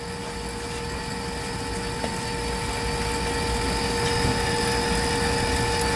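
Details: AirDog II-4G DF-165 brushed DC fuel lift pump on a diesel truck, running well: faint steady hum with a couple of fixed tones over the engine's low rumble; pump quiet, smooth and healthy.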